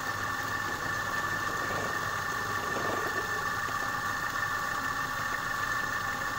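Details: Piston air compressor after repair of a jam caused by a stone lodged in the valve against the piston: steady, even mid-pitched hum with no knocking or binding; pumps smoothly, normal running.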